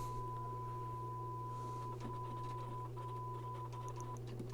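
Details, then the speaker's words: Pioneer SX-1280 receiver, test tone on auxiliary, right channel, switches wiggled: tone over mains hum drops out with scratchy crackles; both tape monitor switches dirty, controls need cleaning. "oh my goodness so the tape monitor switches are both absolutely terrible I don't know if you can hear that"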